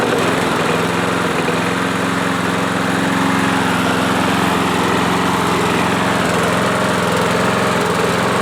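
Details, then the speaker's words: Yard Machine mower single-cylinder engine, about 60 compression even with oil squirted in cylinder, smoking from that oil: chugs unevenly with lumpy irregular beat; low compression, engine worn out. "that smoke is just because of the oil that I put into the cylinder you guys can hear how it's running it ain't running good"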